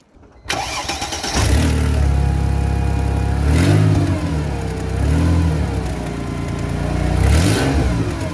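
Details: Mercedes ML320 after tightening a rattling catalytic converter with wire: the engine catches, settles to a steady idle, then blips up and down cleanly with no metallic exhaust rattle; it sounds healthy.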